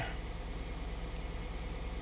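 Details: 2016 Hyundai Santa Fe after replacing broken GDI injector #5 with new OEM part, idling before closed loop: smooth even low idle, steady hum, no knocks, misses or ticks; normal idle.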